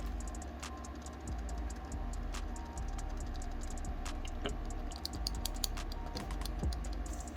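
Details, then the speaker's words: Quick, irregular plastic clicks as an Aoceman X15 body camera is shaken, loose buttons rattling in their housing. "when you when you're walking when you're walking around with this thing and it's shaking you can definitely hear these buttons rattling around like all these buttons is annoying as crap"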